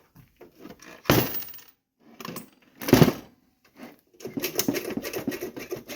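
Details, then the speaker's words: 1963 vintage payphone, no power connected: a dime drops into the coin mechanism and a bright metallic chime rings twice amid coin clatter and handling noise. Coin bell works; owner thinks it probably needs lubing. "see if we can do a dime did you hear that that was hey that's cool it rings didn't know it's just probably needs to be lubed in there"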